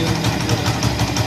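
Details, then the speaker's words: Honda CD 70 motorcycle in 4th gear: rough, rhythmic thudding about six times a second over the engine, chain not turning and moving up and down, noise stops in neutral; worn sprocket locking splines. "ये देखें जी 4 गियर में आ रहा है और ये आवाज़ कर रहा है। ठीक है दोस्तों, ये देखिए जी इसका चैन भी नहीं घूम रहा, चैन भी ऊपर नीचे हो रहा है।"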